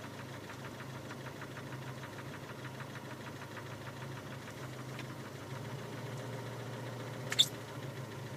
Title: Стук в двигателе